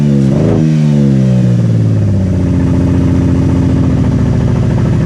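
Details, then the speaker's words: Crash-damaged Camaro on trailer, first start after swapping parts from a parts car: fires with a quick rev that drops back, then holds a steady even idle; starts and runs fine. "let's see if it starts now. All right. You want to fingers crossed? See what happens. Hey, success. Woohoo."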